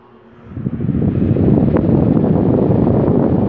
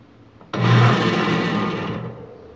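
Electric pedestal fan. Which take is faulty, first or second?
second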